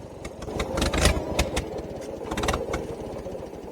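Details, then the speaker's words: International 300 tractor restarted after dying in the field, with a little choke: uneven, stumbling firing with surges and sags at idle; owner thinks the carburetor needs adjusting. "Oh, so that carburetor needs adjusted."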